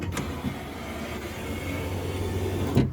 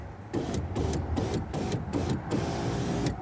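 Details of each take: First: Window regulator, repaired guide glued, window weight on, some grease removed from runners: three-second motor hum as glass travels with faint dry rubbing from the regulator runners, which need grease. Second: Window regulator after regluing the guide with Gorilla Glue and greasing the runners: short bursts of steady motor hum as the glass runs up and down, smooth with no grinding or binding; window working properly.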